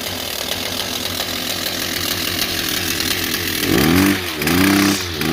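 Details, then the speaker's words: Kawasaki TJ35 brush cutter after clearing a carbon-blocked exhaust port and servicing the carburetor: even two-stroke idle, then two crisp throttle blips rising and falling cleanly without bogging; runs much better than before. "So we basically put everything back together, and as you can hear, it runs a lot better than what it was before."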